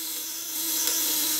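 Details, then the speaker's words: Platinum contact-breaker shocker (PDC 200–500W, 1kg coil) with freshly polished widia contacts, set loose to save battery: a high, even, smooth buzz with no stutter or crackle and a dimmer output; the points are chattering smoothly. "Nah, saya setting kendor dulu ya, cara settingnya. Suaranya halus kalau setting kendor,"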